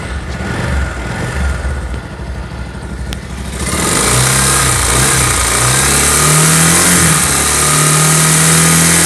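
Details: Pulsar motorcycle engine, revving from rough idle: revs rise with a harsh, rattly roar underneath; abnormal internal engine noise, cause unclear.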